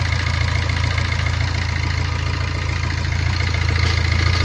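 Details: Maruti Ertiga engine at idle just after its timing chain kit was fitted, before the water pump and tensioner were refitted: steady, even low idle with a quick regular pulse, no knocks or rattles; much quieter than the earlier noise, normal.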